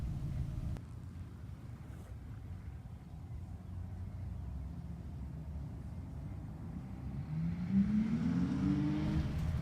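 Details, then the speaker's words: 1998 BMW Z3 after overnight torque converter replacement in 40-degree weather: quiet drive-by, engine note rising smoothly as it pulls away and stops, no slip, flare or clunk; drivetrain sounds normal. "you're right that doesn't sound like sex that's pretty [ __ ] docile but anyway here it comes gracefully around the sweeping left-hander and it comes to a stop"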